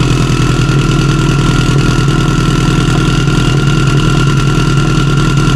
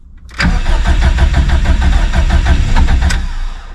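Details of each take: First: Stock OEM Subaru EJ257 longblock in an 1100+whp STI drag car, just started after a fuel leak under the intake manifold; deep, steady, lumpy idle with no knocks or ticks, engine runs healthy. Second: Stock Subaru EJ257 STI drag car on a 66° cold morning, mechanical fuel pump with no lift pump, in neutral: steady starter cranking about three beats a second for three seconds without catching while fuel pressure slowly builds; long cold-start cranking.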